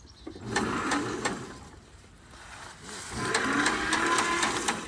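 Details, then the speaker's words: John Deere Model 50 tractor, roughly 1955-56, sat about 15 years, undersized ground wire noted; slow even cranking about four pulses a second in two bursts, turns over freely with good compression. "Turns over good. Good compression there. Let's see if I can get on the other side. I think good compression."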